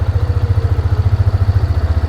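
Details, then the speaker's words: Used ATV bought as a runner, idling after the fuel pump was confirmed working: an even, steady thumping idle with no misses or knocks; engine sounds healthy. "God, that motor sounds good too."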